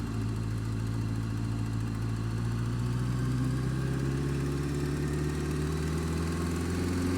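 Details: Honda Fireblade engine running steadily with a light tick about three or four a second; worse when cold, quieter but not gone when warm; feels slippy; source of the ticking not identified.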